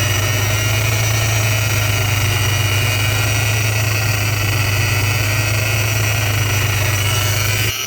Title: Vortech V3 Si Noise (bad bearing)